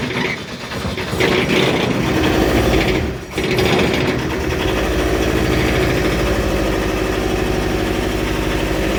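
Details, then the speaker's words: 1986 VW T25, 1.6 JX turbo diesel, stored since 2017: first start after priming the fuel system. It catches after cranking, then settles into an uneven, stumbling beat with irregular pulses, lumpy but running. "Lumpy, but running. She's running. Woohoo! It ain't that quiet, is it?"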